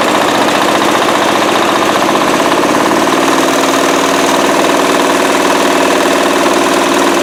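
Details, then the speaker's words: Cub Cadet tractor converted to a turbo diesel, running out in the yard with the throttle up; harsh, uneven diesel clatter with a heavy shaking rumble; the owner suspects an out-of-balance driveshaft, maybe the diesel itself. "um it shakes like you will not imagine I'm pretty sure it's the drive shaft is out of balance but maybe it's the diesel"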